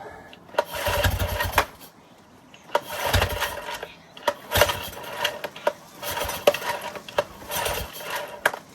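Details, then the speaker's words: Yamaha 9.9 HP four-stroke outboard, non-runner for years, good compression, no fuel system attached, on starting spray with choke out: pull-start cranking with one or two brief sputters that never catch; almost fires but won't start. "Did you hear that? That almost wanted to go then."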